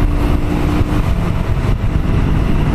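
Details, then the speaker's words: 2000 Honda Shadow 125 after carb cleaning, cruising in 5th: steady low even drone under wind noise with no misses or knocks; runs healthy. "5e, tout va bien. Non, franchement elle va bien."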